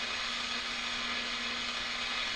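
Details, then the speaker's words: 1940s Forestry Service radio receiver/transmitter, receiver first brought back to life: steady even hiss with a faint low hum and no stations on the band; receiver alive and working normally. Tuning capacitor needs cleaning and has dead spots. "trying to receive there's just nothing on the band"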